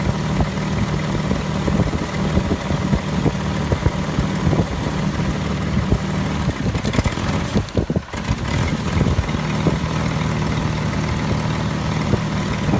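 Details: 1998 Jeep Grand Cherokee idling about two minutes after start: steady low idle that sags and stumbles, nearly dying, then picks back up; fuel pressure holds 48 psi then falls to zero and the engine stalls, owner suspects fuel pump.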